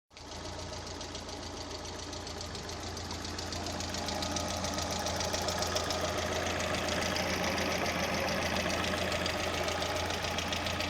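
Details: VAZ 16-valve engine: light, even ticking about three or four per second over smooth idle, staying steady as revs rise; noisy hydraulic lifters.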